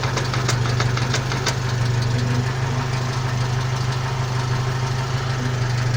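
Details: 1992 Jeep YJ at idle: steady low engine idle with a loose, uneven rattle of light ticks on top; transfer case suspected, not confirmed.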